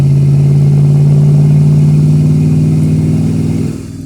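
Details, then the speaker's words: Mercury Cougar driving after realignment, engine previously run with no oil: strong smooth even drone under acceleration, revs drop cleanly on shift, no misfire or rattle; normal engine under acceleration. "shifting great sounding great man feels like she's got more ass than she did maybe because i got everything lined up again"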